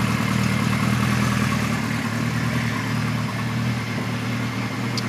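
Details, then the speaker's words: 1973 Kawasaki Z1 900, 4-into-4 exhaust, new BR8E resistor plugs, warmed up, air screws about 1 5/8 turns: mostly steady idle broken by an occasional stumble, slight miss owner suspects on cylinder one or two; cause unconfirmed. "still here a little bit that I'm not too sure [Music] about [Music] sounds like it's coming from that side so it'll be one or two"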